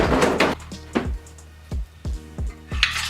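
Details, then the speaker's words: Failed 2.0 LNF Ecotec engine from a Pontiac Solstice, removed, with a piston failure, turned over by hand before pulling the pan: irregular metallic clanks and ringing clinks like bolts and nuts; loose broken metal in the bottom end. "Turning this engine over. You can hear it sounded like a like bolts and nuts everywhere. There's something horrible under this pan"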